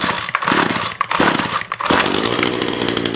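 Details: Ryobi line trimmer two-stroke (complaint: head not spinning fast enough) primed ten times, on choke at full throttle: it bursts into life in short, raspy, uneven spurts, then dies soon after starting.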